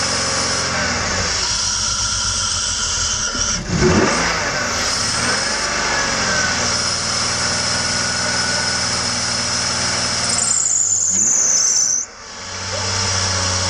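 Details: BMW M54 engine (E46/E39 type), no start from sudden very low compression, oil cap off to counter richness; uneven cranking struggles to catch and never settles into idle, indicating low compression.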